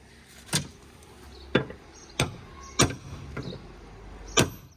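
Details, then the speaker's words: Swift door after the striker/latch was moved inward to tighten the door and stop the door rubbers rubbing: five solid, clean thumps with no squeak or creak; the rubbing noise is gone and the door shuts firmly. "तो जैसे कि हमने बताया था कि ये latch अंदर करना है, और रॉकी ने कर दिया है। तो अब आप देखेंगे, अब वो आवाज़ नहीं आ रही है,"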